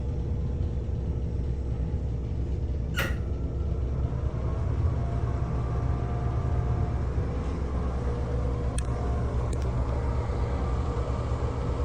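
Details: NuTone 696N basic exhaust fan, caked with dirt, running on worn motor bearings: a steady, heavy low rumble with a faint hum over it.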